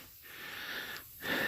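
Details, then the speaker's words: Flat car tire off the vehicle before plugging: steady hiss of air escaping through damage in the tread, dipping briefly twice then returning stronger; tire air leak. "I don't know if you can still hear the air hissing out but kind of hear it there"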